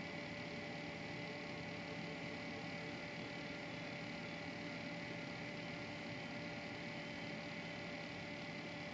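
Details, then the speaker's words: Newly built PC with fans winding back up: steady rushing air with a thin whine from loud fans, plus the Corsair 100 pump that rattles. "pretty windy so you hear the whiny fans and the rattling corsail 100."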